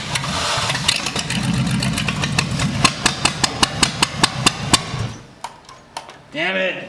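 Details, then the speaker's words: Abandoned Cadillac 331 V8 run with replaced plug wires, checked plugs and cleaned points: rhythmic cranking with sharp ticks and weak catches, then it dies; owner suspects the fuel pump isn't delivering and plans to gravity-feed the carburetor. "nope i don't think that fuel pump nope i don't think that fuel pump's doing its thing"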